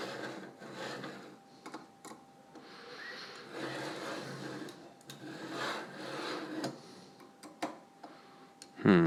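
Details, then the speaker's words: Anet A8 3D printer during assembly, carriage pushed by hand: gritty, uneven scraping on each stroke with heavy resistance instead of a smooth glide; the builder suspects bad linear bearings or an assembly error. "seems a little better oh sorry I was hoping it wouldn't sound really terrible that's how bad these bearings are I think because it's not supposed to sound that way"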